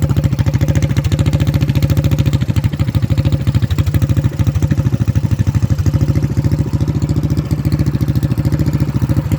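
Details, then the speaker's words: Predator Max Performance 224cc single-cylinder engine, which previously would not idle, after valve lash adjustment: a quick, regular putter with a steady beat, choke off. Smooth, normal idle. "It's idling, the choke is off. I think our problem is solved."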